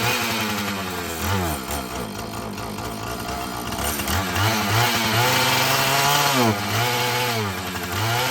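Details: Filthy Husqvarna 445 chainsaw that bogged when throttled, after cleaning and a 1/8-turn carburetor adjustment: idles, then revs up and down cleanly several times without bogging; normal running.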